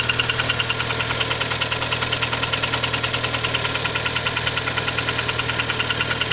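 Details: Kia Sportage 3 engine at smooth idle with a fast sharp ticking knock about two or three per second; knock louder cold, quieter warm, present at low speeds, disappears at 60-90 km/h, returns on re-acceleration; origin unknown.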